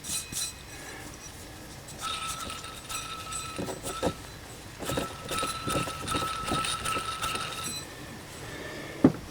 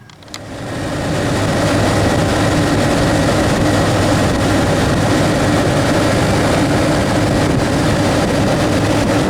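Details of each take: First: Chevrolet Astro Van 4.3L V6, old idler pulley spun by hand after removal: dry, gritty rattle with thin ringing tone fading as it slows, unlike the smooth new one; worn idler pulley bearing. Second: 1992 Chevy Astro van extended, 4.3L V6, 189,853 miles, just started after idler pulley replacement: steady, even idle while warming up, no knocks or squeals; runs fine though owner says it sounds a little odd.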